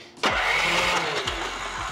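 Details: 2014 Troy-Bilt Neighborhood Rider 30-inch mower, 420cc Powermore OHV engine, won't start: starter spins engine with quick even churning, never fires; spark seen weak without proper ground, spark plug F6RTC being ordered, carburetor to be cleaned.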